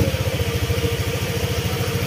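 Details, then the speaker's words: Honda Click 125 scooter after top overhaul, cylinder head refitted with valve clearances set (intake 0.10 mm, exhaust 0.24 mm), running on the bare pipe: smooth, even low exhaust pulse at idle; earlier metallic clatter from a scored piston is gone. "Yan, smooth na yung tunog niya, naka pipe lang."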